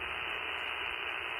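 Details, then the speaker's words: Icom 705 radio powered from Xiegu DH100 battery power station: with the AC inverter on, constant hiss and static with AC noise lines and no signal underneath; noise disappears when the unit is off. "now the unit is turned off you see the noise goes away let's try doing a AC adapter turn the unit back on there's the regular DC and then look at all the ac lines that shows"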